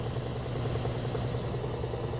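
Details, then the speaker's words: Frigidaire laundry center washer (model FGX831FS5) with an intermittent no-spin complaint, belt and transmission visibly spinning: a steady low hum with soft, even pulsing as the drum speeds up, no slapping or grinding; a normal belt-drive spin. "we can see the belt spinning can see the transmission spinning it's going to go faster and faster get all the water"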